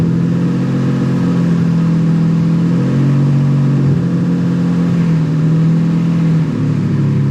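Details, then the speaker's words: Civic with nitrous stroker V6 swap, after ECU and tune troubleshooting, coolant lines not connected: steady idle, lower than before, deep even hum, slight wavering pitch, no misses; idling smoothly. "much better on the idle it's a again idles at a relatively low idle compared to how it was the other day"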